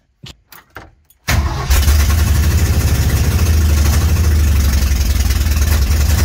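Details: 1965 Mercury Comet with 5.0L V8 and open headers, first start after the build, after a small fuel leak and a timing check: four short cranking bursts, then a loud, lumpy, deep idle that holds steady; normal start and idle.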